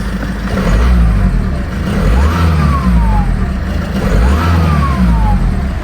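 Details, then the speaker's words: High-mileage VW Golf Mk6 at 244,000 miles, bought to resell unrepaired: two smooth throttle blips, revs rise and fall cleanly with no knocks, rattles or whine, turbo audible; engine sounds healthy. "Doesn't sound too bad, to be fair. Sounds alright. Sounds quite good, that. You can hear the turbo."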